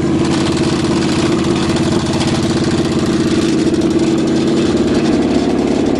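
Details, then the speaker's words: Cheviac demo-derby car, cold start at about 2 degrees above zero after fuel line work: uneven idle with quick steady slapping tick about three times a second as the cooling fan hits the plastic radiator shroud; later fixed by clearancing the radiator cradle, two fouled plugs replaced. "Is hitting the plastic radiator shroud, so that's what's wrong, making all the noise. Too many demo derbies."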